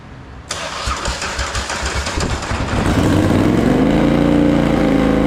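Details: Polaris Sportsman 850 XP quad, hard-worked bull catcher sat for a couple of years, parked up for pumping oil at the engine breather; first start on jump pack, old fuel: cranks, catches, stumbles into a loud lumpy idle, shooting flames and misfiring; owner suspects old fuel.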